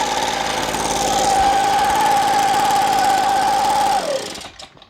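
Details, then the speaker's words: Echo PB265L backpack blower, no-start from clogged air filter and no fuel, fresh gas/oil mix and new fuel filter, choke on, half throttle: steady even high note about four seconds, winds down cleanly; normal running. "it sounded too good when it fired up"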